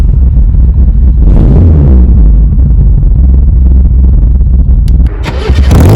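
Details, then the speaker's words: 1970s Datsun 120A Cherry F-II with its 1171 cc engine: catches quickly and settles into a steady, even low idle with no knocks or misses; normal start. "she sounds excellent so i'm going to get a start it up now and you can hear what she sounds"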